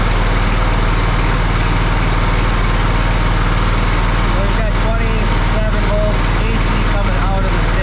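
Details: Lesco zero-turn mower with a Kohler CV20 20 HP V-twin, after a charging system repair with a new part swapped in that put out 30+ volts unloaded: a deep, steady, even beat at constant speed with no misses or knocks. It is running normally.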